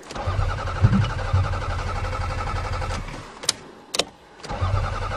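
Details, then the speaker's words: Toyota Camry cold start in snow: low, uneven cranking that stops and restarts and never fires; no fuel pump sound heard, suspected fuel pump failure. "I don't hear the fuel pump uh-oh oh no uh-oh we have fuel pump failure"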